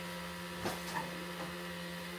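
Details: Ultima GTR that won't start: turning the key gives only a few faint starter relay clicks over a steady electrical hum, with no cranking. The fault is a loose terminal connection, fixed by refitting the terminal properly, after which it started.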